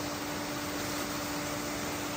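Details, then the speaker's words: Off-grid water turbine running again after the dam repair: a steady whirring hum with a constant mid-pitched tone and a faint squeak. Normal running, producing power. "Can you hear that sound? That whirring, irritating, squeaking sound? It's the sound of success. We have power, baby."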